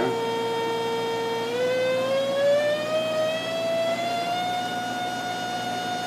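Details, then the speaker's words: PVM2000 high-power plasma generator (up to 2000 W, 20-70 kHz) run near 30-35 kHz, power almost all the way up, driving a capacitive corona load: clear steady whistle climbing in pitch then holding; normal corona discharge whine. "I wonder what I said about 35 kilohertz cycle almost all the way up now we should be able to if you can hear that noise that's the capacitive load over there"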